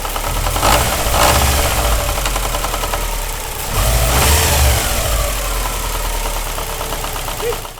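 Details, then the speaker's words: Subaru EJ20 bugeye WRX misdiagnosed elsewhere as rod knock: idling boxer with steady knock about 3-4 per second from the timing belt slapping the engine because the tensioner failed. "now it's not and the belt is making it hit the engine in itself making all that noise"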